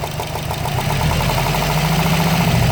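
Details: 2013 Subaru Impreza WRX at idle: loud, fast, even ticking like a golf ball sliding around inside the engine, seeming to come from near the turbo; cause not found.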